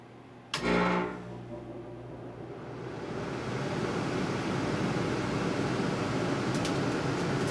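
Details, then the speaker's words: 1988 Tempstar system's furnace blower after being removed, cleaned, lubricated and reinstalled, run with the thermostat fan switch set to on: a click, then a smooth steady rush of air with no squeal or knock; blower runs freely. "I got the fan up switch on the thermostat set the on so imma turn on and see how this thing sounds now"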